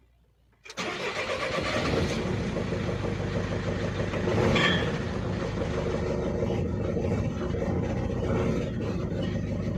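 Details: Mercedes Sprinter 2.2 diesel with the gearbox removed for checking (clutch looked fine, some play noted) starting and idling with a rapid clatter of roughly three or four raps a second; knock source unconfirmed, owner suspects gearbox, not flywheel.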